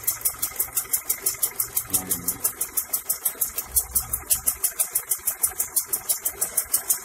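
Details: Honda Accord Prestige idling after ignition timing was set by ear without a timing light: steady, even pulse of about three beats a second, no misfire or stumble; timing sounds correct.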